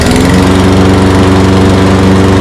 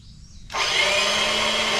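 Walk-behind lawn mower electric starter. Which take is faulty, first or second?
second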